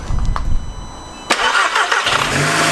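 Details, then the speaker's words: Stolen, fire-damaged Audi TTS Mk2 8J, started with a borrowed BMW battery and coil packs reconnected. The starter cranks briefly, then the engine catches and settles into a smooth, steady idle without misfire. Normal start and idle. "Yes. Oh, it sounds sweet."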